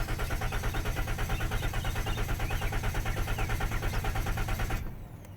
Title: My 2013 ram van won't start. Why????